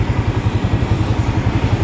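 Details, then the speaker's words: Yamaha R15 (old model) that idled heavily, rich from an aftermarket injector, now back on the stock injector: an even, low idle thump holds steady without stumbles; idle is now normal. "อันเนี้คือปกตินี่คือปกติก็คือหายเป็นปกติก็คือเดิมๆ"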